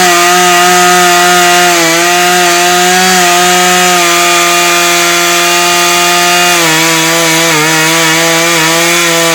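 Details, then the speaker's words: Refurbished Husqvarna 435 chainsaw: steady high buzz that dips and labours slowly through the log, burning the wood; cutting poorly, owner suspects a dull chain. "so jesus christ i think that's burned it burnt through it burnt right through it"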